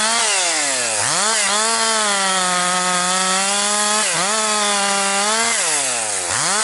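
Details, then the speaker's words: Husqvarna 262XP chainsaw after rebuild, breaking in bucking dry, dusty pine firewood; compression up, really woke up over last couple tanks. High, steady two-stroke wail sags briefly under each cut and snaps back up; healthy cutting. "But anyways, good break-in for this saw doing this kind of work."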